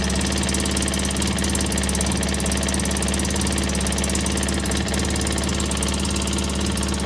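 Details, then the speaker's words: 2003 Polaris Sportsman 600 at idle after starter fix: fast sharp raspy ticking locked to the firing over a rough engine note, air felt at the headpipe; exhaust leak from a cracked Y-pipe. "I don't know if this has an exhaust leak or what. I do feel a little air coming up in that headpipe. Ah, there it is. We got a cracked Ypipe."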